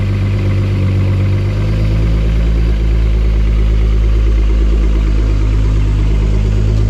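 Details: Engine catches and settles into a steady, even idle with a deep smooth rumble and no knocks or misses, just after oil pressure sensor switch replacement; no leaks seen, normal idle.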